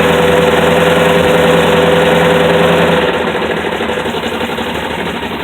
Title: dart knocking sound